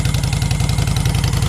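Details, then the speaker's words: V-twin motorcycle with a Cobra 2000 EFI controller set at 122, air breather removed, exhaust heat-discoloured, heard from the other side at idle, not revved. Deep, even loping thump with a steady beat and no tapping or rattling. Normal idle. "Of course, the breather's off of there. So that's pretty much what it sounds like. I don't want to rev it too much."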